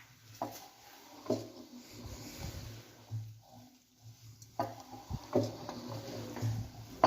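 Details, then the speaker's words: Free Chrysler 318 V8 from a 1964 Dodge A100 van, turned slowly by hand: heavy loose clunks every second or two as cylinders one and two come off compression; worn rod bearings. "good you can especially hear what sounds like cylinders number one and two flopping real hard listen as this comes back down off compression she's bad"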